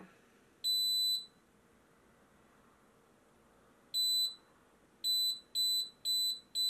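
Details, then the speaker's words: Xtool laser fire safety kit, prolonged flame: single beep, a pair, then four quickening beeps about two per second, escalating to full alarm. "là, elle a bien averti. Et là, elle coupe l'alimentation et on entend le mécanisme qui libère du CO2."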